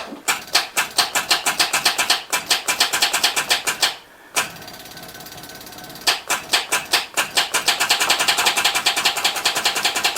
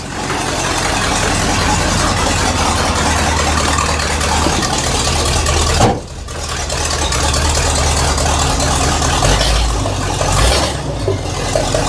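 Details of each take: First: 1979 Chevy K20 square body, sat about 30 years, first attempts restarting after it was revived: starter gives rapid dry clattering ticks in bursts, no cranking or firing; starter stayed engaged, key sticking in start, solenoid punched in not backing out. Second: 1979 Chevy K20 squarebody truck, first drive start after sitting about 30 years, pumped six times: the engine catches and settles into a steady low rumble with one brief dip; owner says it doesn't sound its best, maybe the exhaust.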